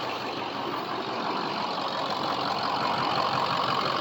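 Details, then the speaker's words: Diesel truck, on a jack, after fixing a misfire and hesitation: even, steady idle clatter with no stumbles, idling much smoother than at the previous start-up. "This thing's also idling much smoother than it was when I started it up last time."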